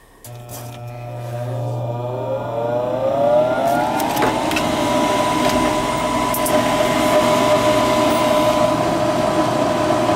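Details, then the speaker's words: Gas furnace after repair of no-heat and burning-smell fault, unit plugged in and calling for heat: motor hum climbs smoothly in pitch over about four seconds, then holds clean steady whir as it lights; normal furnace operation. "she's heating you're always going to be happy now right"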